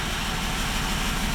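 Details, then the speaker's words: Range Rover L405 3.0 TDV6 after owner's engine rebuild, first idle with gearbox in neutral: loud steady deep rumble without pulsing from open, disconnected exhaust, not the engine, which sounds even. "That noise that you're hearing go. It's not from the engine. This is exhaust."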